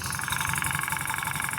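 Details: Motorcycle engine running with a sharp, regular ticking that the owner thought was a valve, cylinder or head knock. The noise actually came from the worn spark plug cap (noise suppressor) arcing.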